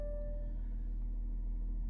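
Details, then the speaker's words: Audi A8 3.0 TDI Quattro diesel, 82,625 miles, cold start: quick starter catch then low, even rumble with no timing chain rattle and no warning lights; clean, healthy start. "did you hear there was no rattle at all on the start on the chain or anything like that all happy there"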